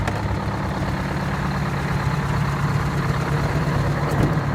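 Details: Detroit 8V-71 two-stroke diesel in a 1969 International dump truck, after freeing the injector rack following a runaway: deep, even drone with a steady low beat and no knocks or misses; idles healthy.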